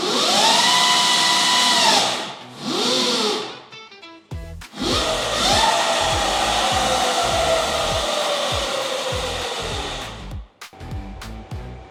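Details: Symbyote 12FET motor controller on a bike, sport mode (two beeps) raising current to about 200 A: strong motor whine climbs and eases with throttle, smooth with no stutter or cutout; normal motor whine at full power.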